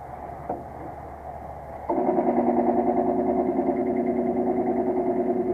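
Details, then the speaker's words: Three-year-old DCA pool-room dehumidifier at a hotel, poorly maintained. Its half-horsepower 56-frame condenser fan motor, run with the fan blade removed and bolts tight, drones with a rough fluttering rumble. Bearings look shot, so the motor needs replacing. "it still makes noise so that motor's got to be replaced looks like the bearings are shot of the motor"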